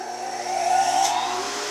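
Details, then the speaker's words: Workshop dust collector switched on via 15 amp remote plug: motor spins up with smooth rising hum and settles at even full-speed tone, no bogging or rattle; normal startup and full-speed run, no issues. "So you can hear it fire up, you can hear it get to full speed, and once it gets to full speed, it seems like it doesn't have any issues."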